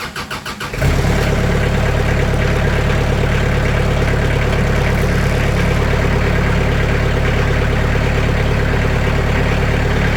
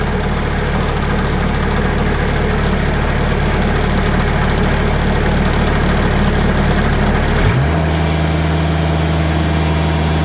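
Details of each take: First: Sawmill's small engine cranked up and idling close up, after noise-dampening material (80 mil mat) was added to the doors: cranks, catches, settles into a steady, even idle, quieter, panel still visibly rattling but not heard. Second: Sawmill engine, recorded before noise-dampening material is added to its doors, saw blade tensioned to about 500 psi, revved from idle to a steady higher speed: a buzzy metallic rattle from sheet metal panels, then it drops back and shuts off.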